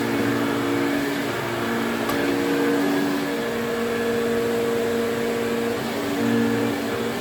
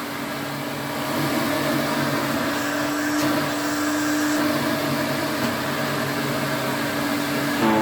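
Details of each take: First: 1980s Electrolux Twin Turbo 500-series exclusive (1988 Z517 or 1989 Z521) with a 550 W motor, switched on at the bag for a quick test. Even, steady motor whine holding pitch with no rattles or scraping. Motor sounds okay and suction is good. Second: 1980s Electrolux Twin Turbo vacuum (Z517/Z521, 550 W motor) with an aftermarket belt: steady motor hum with a bright whine and squeak as it slows. A very worn motor spindle lets the belt drift, and the belt will eventually snap.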